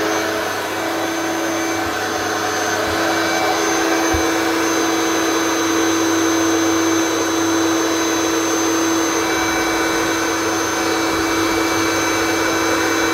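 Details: Vacuum from the tip; the owner suspects the electronic speed LEDs are faulty. Constant high motor whine with a steady airflow rush holding pitch throughout. Motor running normally.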